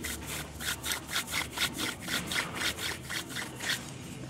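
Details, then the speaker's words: Old hub assembly from a 2004 Nissan Murano SL AWD, spun by hand after removal: dry, gritty rasp with uneven catching pulses about four a second. A worn, rough wheel bearing, unlike the smooth new hub. "pretty bad that's it kind of catching"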